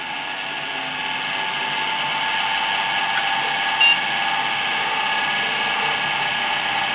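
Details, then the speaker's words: Rear case fan in an old Windows XP PC at power-on: steady high whirring whine with a gritty edge at constant speed; worn fan bearings. "The bearings are gone on that fan. Yeah, because it's in there nice and tight."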